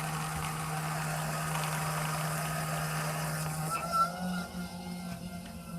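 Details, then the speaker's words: Suburban IW60RL on-demand water heater with recirculation loop in a 2021 Alpine RV, new recirculation pump running after replacement while air bleeds out: steady hum settling quieter, normal as pump recirculates hot water most of the time. "Now this pump does run like most of the time because it's recirculating hot water through your system."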